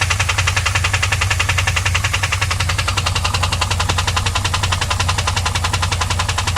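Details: 2001 Pontiac WS6 LS1 5.7L V8 at idle: steady, fast top-end tick, about 160 a minute. Ticking began at high rpm only; then oil pressure dropped from 30 to 0 when shifting and the engine was found empty of oil. Tick persists after refilling; cause unknown.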